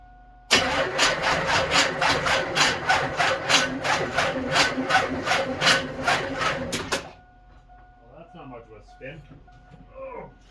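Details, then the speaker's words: Chevy S10 street rod with carbs, on boost pack with homemade fuel squirter: starter cranks about three beats a second for six seconds without firing; cranks but won't start, batteries swapped next. "try again i need a bigger shot not happy try this again swap batteries out see if this one's got any power"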